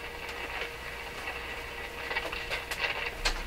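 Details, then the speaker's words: Rogers 11RA651 shortwave radio, while probing near the output tube grid for bias voltage: irregular scratchy crackles and pops over faint hum; audio stage breaking down, fault source not yet found. "Listen to the radio break down while I'm doing this."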